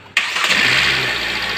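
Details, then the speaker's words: Hyundai ix35 with the G4NA engine, about 140,000 km, first start after an overhaul for piston scuffing knock (cylinders bored, oil jets fitted): it catches at once and settles into a smooth, even idle with good oil pressure and no knocking. A normal start. "нормально давит работает греется реально с первого раза"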